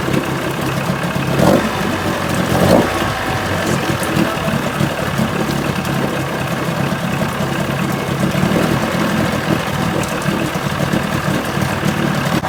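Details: 1980 Chrysler 45 hp outboard, new coil packs, after a crank-no-start complaint: steady even idle with no misses, surging or knocking; healthy, no-start likely from not using the warm-up fast-idle lever.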